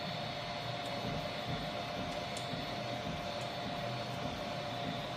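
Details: New Vivedino Troodon 300x300 3D printer cracking and popping while printing: motor whir with irregular clicks and pops from the right side of the gantry, worse with the right motor turning and higher speed; owner suspects right front pulley bearings.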